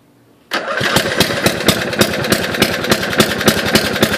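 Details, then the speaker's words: MTD Yard Machines riding mower after solenoid replacement and starter freed with lubricant: it catches at once, then runs with sharp, uneven pops about three or four a second; engine spitting, owner suspects carburetor needs cleaning. "all right so there you have it guys as you can see it started right up without any problems at all but it's doing some spitting so I think I need to do some Cooperative work on it"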